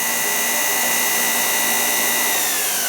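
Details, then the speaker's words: Two-speed rotary floor machine motor running on high speed after being opened because it kept tripping its safety fuse: steady, smooth high-pitched whine, tight, no grinding or dry-bearing noise, little brush sparking. Normal motor run; the safety switch is to be replaced. "Off, high speed. So it sounds really tight. Really, there's no sound of bearing noise."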